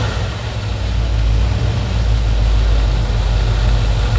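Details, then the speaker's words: 1960s Chevy V8 muscle car first start after many years sitting, old fuel drained, fresh 91 octane with Sea Foam added: catches and settles into a lumpy, deep idle with a steady low rumble, running on its own; distributor still loose. "then we need to tighten down this distributor good it sounds like a hot rod so"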